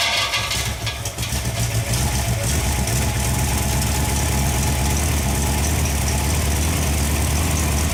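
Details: Freshly rebuilt Ford FE 390 V8 (Edelbrock, fuel-injected, mild cam) on an engine run stand, fully hot after heat soak, holding temperature with oil pressure about 55: deep, steady, smooth idle with no knocks or misses, a healthy engine.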